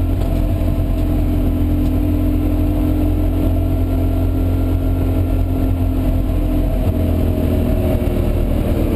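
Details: BMW E36 325si during Nordschleife tourist laps: loud flat drone under load with coarse exhaust-like rasp and much less power, then no compression on restart; engine damage, owner suspects jumped timing chain and bent valves.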